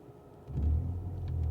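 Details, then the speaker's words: 2013 Ford Fusion on road, backing up in reverse: deep steady rumble swells and holds, heavy vibration felt in reverse; occasional rattle in reverse reported, cause not yet found — vibration in reverse gear. "oh yeah there's [Music] definitely oh I can feel there it goes if I yeah there's a lot of vibration there"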